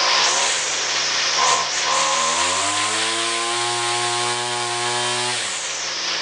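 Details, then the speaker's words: XT200 two-stroke weed whacker after carb cleaning, rewind spring and air filter housing repairs: revs to a steady high buzz and holds cleanly, then drops back. Runs well. "Now, it being not a new machine, it runs pretty good."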